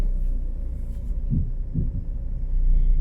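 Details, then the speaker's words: 2011 Ford Focus Mk3 driving: over low road rumble, two deep brief groans half a second apart, felt through the pedals; broken offside front coil spring. "Did you hear that? Like a really deep groaning noise. Feel it right through the pedals and everything."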